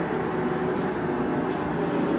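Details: Blanchard No. 18 36-inch surface grinder in excellent shape, spindle head rapid traverse with no coolant: steady even hum with smooth midrange drone, no knocks or grinding; sounds healthy.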